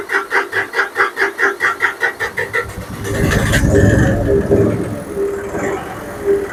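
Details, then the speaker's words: John Deere 5055D after fuel-tank sludge cleaning and priming the fuel line: even cranking that stumbles and half-catches into rough running, the diesel nearly firing. "now sure seemed like it was primed up almost there almost there"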